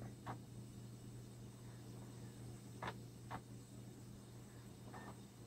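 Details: Laptop optical drive trying to read a scratched burned CD: steady low hum from the spinning drive with a few sharp isolated clicks every second or two as it keeps retrying seeks.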